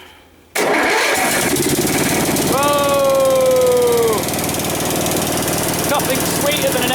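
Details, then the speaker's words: Westwood T1200 garden tractor out of winter storage, cold start on one notch of choke: brief crank, single-cylinder catches first time and settles into steady, even idle. "no that's it just started first time just got a little bit you're very sweet little engine"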